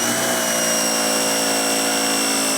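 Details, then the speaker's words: Oleo-Mac PW 110 C pressure washer after bypass/unloader valve replacement: steady, even electric motor whine; it builds pressure and shuts off, no longer clicking, running normally. "Все, мийка у нас набрала тиск і вимкнулася. І тримає. Вона більше не клацає, вона набрала тиск."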